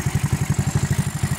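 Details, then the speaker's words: Rusi Royal GY6 scooter with a 59 mm big-valve build and a Speed Tech regrind 6.5 cam, still in break-in. It idles smoothly and quietly with an even thump about twelve times a second and no clatter or misses. "Yung cam niya na speed tech, tahimik naman na regrind 6.5."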